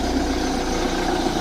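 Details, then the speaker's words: Ford Transit Mk6 diesel recovery truck, about 134,000 on the clocks, cold start around 45°: steady idle clatter with a faint whirr from the water pump, which has a small leak. "that other little woring noise that's the water pump noise and it did have a little leak just under there very small little leak"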